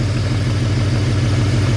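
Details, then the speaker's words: BMW wagon at idle, still slightly rough; unplugging the middle coil gives no change, showing that coil pack is bad; faint uneven stumble in the beat: rough idle misfire from failing ignition coils. "Pop the little clip up. No change at all. So that's how I know that coil pack is bad."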